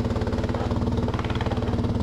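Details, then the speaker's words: BMW motorcycle idling after a starter install for flywheel-damage starter noise: pulsing idle with a loose tinny rattle on every exhaust beat from a baffle falling apart inside the muffler, louder than normal. "course this is a bit louder than normal cuz the baffle is falling apart"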